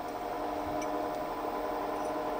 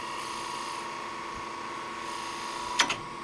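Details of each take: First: Wood lathe spinning a spindle blank with the tailstock revolving centre fully tightened: quiet, steady mid-pitched hum with no knocks or rattles. Pitch changes and it turns wobbly once the tailstock is loosened. Normal running. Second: Wood lathe spindle turning with a one-inch (25 mm) skew while rolling a bead: quiet spinning hum, then a sharp double snap near the end as the tool catches after losing bevel contact.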